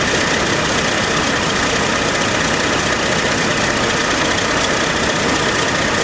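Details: AMC Eagle carbureted engine after nutter bypass, vac advance moved to manifold vacuum: steady, fast, even idle that never settles. Owner suspects choke issue (electric choke possibly on backwards) or a vacuum/intake manifold leak; any throttle goes full throttle.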